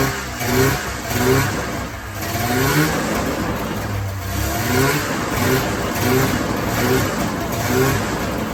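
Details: 1994 Polaris Indy 440 two-cylinder liquid-cooled two-stroke snowmobile, revived after sitting 12 years, on tank fuel: revs up and drops back cleanly several times, crisp and even, no misses or rattles; clutch engagement RPM uncertain, runs well.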